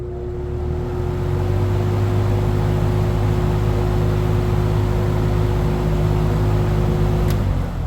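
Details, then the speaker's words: 1970s Electrohome 652-2C (Lakewood P23) box fan, close-up startup, possibly on high: steady low hum with a clear tone near 300 Hz settling smoothly as it reaches speed; needs oil, short spindown. Normal startup hum. "Let me do something a bit different, and we'll get a close-up of the startup sound. Possibly on high, if anything."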